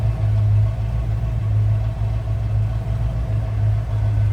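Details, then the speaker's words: 1976 Lincoln Continental 460 V8 heard from the rear of the car: a low, smooth idle burble holding a steady rhythm with no ticks or knocks, as it should sound. "pretty much what you expect for a sound out of that 460 underneath the hood"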